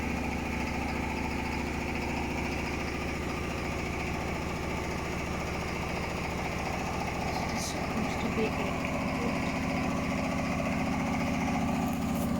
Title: Hotpoint Smart Tech Very Unbalanced spin (Making strange noises)